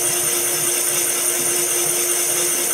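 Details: Circa-1980 Cycle Cyl boring bar boring a Honda CB750 cylinder from 61 mm to 65.5 mm (850cc big bore). Steady, even cutting hiss, constant mid-pitch tone, no rattle or chatter; cutting cleanly.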